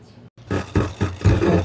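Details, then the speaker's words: Sakura AV-5023 amplifier before repair, phone as signal source, sound cuts out and returns distorted, relay sparking: choppy, harsh, crackly, broken music. Fault later traced to an op-amp in the control section. "At kung papansinin natin, basag yung tunog nitong amplifier."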